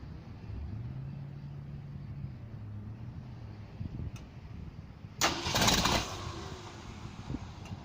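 Starter spins with a steady hum for a few seconds, then a short rough burst, but the engine never catches and runs.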